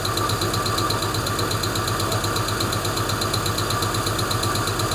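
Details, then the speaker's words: Hemi V8 at steady idle with a light, fairly regular valvetrain tick at roughly two per second, heard on both sides; owner suspects lifters (aftermarket "China lifters" show some movement); cause not confirmed. "Yeah, there's definitely one in there. You can hear that one. Sounds like it's on this side too. Probably live with it if that one wasn't clanking so bad."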